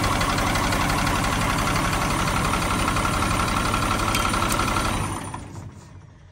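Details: 1997 GMC 7500 bucket truck, Caterpillar 3116 diesel, cold first start at 32°F, no coolant so run briefly: settles into even idle with light knock about four beats per second, then shuts down; owner blames cold; diesel knock at idle.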